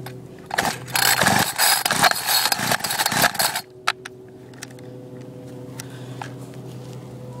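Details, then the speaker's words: Homelite small engine with a little gas put in the carb, fuel lines broken, no clutch: several quick raspy pull-cord strokes and it never fires; the owner thinks it might be flooded. "second might be flooded"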